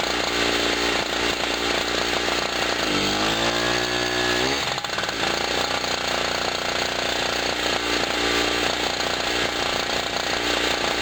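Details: Generator after its first cold start of 2016, having sat about a year, powering a 40 W bulb and a noisy air pump: a steady, busy engine drone holds even with no hunting or surging. Normal running under load.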